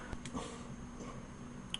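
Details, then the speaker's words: 1994 Toshiba CF26C30 26-inch CRT TV with intermittent power-up, tested after splicing cut wires: relay clicks a few sharp times in a quiet room, faint click in speaker, but set won't power on; same fault as before, cause unconfirmed. "see this is what it was doing before the relay is clicking you hear the little in the speaker but it won't power on"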